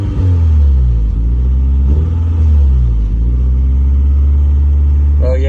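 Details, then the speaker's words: Lowered Honda Integra after repairing an exhaust leak, damaged by scraping: steady deep idle rumble with a faint puffing tick; a small leak remains at the top. "I'm not going to uh mess with it anymore it's definitely fixed to my liking it's leaking a little bit at the top but I don't really care about that"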